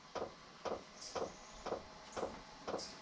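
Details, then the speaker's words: Newly installed Webasto Air Top 2000 STC gasoline heater in a ProMaster van, first start; soft regular ticks about twice a second over faint fan hum as the dosing pump primes the fuel line, blowing cold air so far, normal. "Sounds like a fan is spinning. There's a little bit of air coming out of it. I'm listening to try to hear if I hear the fuel pump kicking in."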